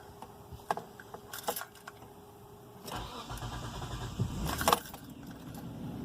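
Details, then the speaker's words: 2005 Hyundai Santa Fe 2.7L after idle control valve replacement and throttle body cleaning, idle recalibrating: short crank catches straight away and settles into a steady, even idle with no stumble; clean normal start. "right I made me a little nervous I didn't want to start there at first but it started it sounds good"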